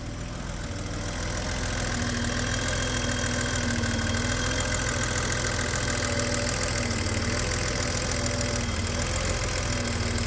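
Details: A BMW E32 735iL idles unevenly with occasional stumbling, like a misfire, just after a drive. The cause was incorrectly gapped spark plugs; with the correct gap the engine is smoother.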